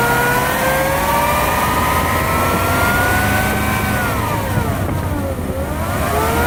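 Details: Lexus LS400 V8 with a clear whine that rises and falls with engine speed, clearly audible inside the car. Owner suspects the alternator, possibly bad diodes; not confirmed.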